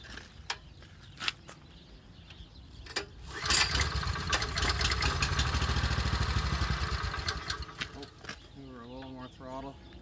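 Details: Honda GX390 13hp engine newly fitted to old Ariens Rocket RT 8020 rototiller, testing gearbox and tines: engine swells louder then sags repeatedly, hunting instead of steady governed speed; surging, fix left for later.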